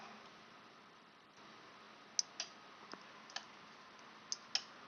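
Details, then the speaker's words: Electronic CO2 carbon doser regulator solenoid valve being repaired, fed about 12 V directly on the bench: a handful of sharp, irregular clicks as the valve actuates. The membrane works. "I don't know guys if you can hear it but I can hear clicks inside so the membrane Works"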